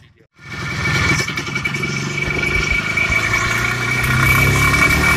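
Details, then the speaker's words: IZh Planeta 5 two-stroke motorcycle, hot engine pulling under load: a sharp metallic crackle and characteristic clicking from the cylinder ride over the exhaust. The owner says a grade-17 spark plug does not solve it. Detonation knock. "1 грелся начал потрескивать цилиндр такими характерными щелчками"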